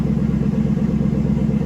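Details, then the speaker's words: 2016 Chevrolet Caprice after reinstalling fuel rail and injectors: starts and settles to a steady, even low idle with a smooth beat, no misses or knocks, where it ran very rough before; no faults on rescan, check-engine light off. "All right. Moment of truth. Here we go. Sounds smooth. It was running rough as heck when I shut it off."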